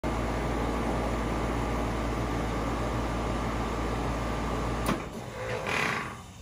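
The unit runs with a loud, steady hum and a faint fast rattle until it cuts out; it's noisy, cause undetermined.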